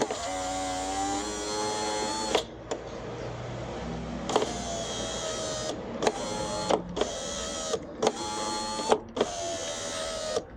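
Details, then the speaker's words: Fiat power window after worn rubber replaced, door reassembled: smooth steady motor whir each up and down run with clean stops, no longer jumping out; problem solved, normal operation. "joga mais Então seja problema já resolvido né"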